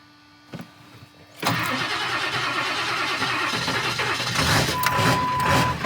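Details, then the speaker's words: 1999 Ford F-250 7.3 diesel that normally won't start in cold weather, after Archoil AR9100 treatment; catches at once into even diesel clatter with smoke; normal cold start. "pretty good I like that that was smoke but that was amazing that's the bestest thing is started in probably the last nine months"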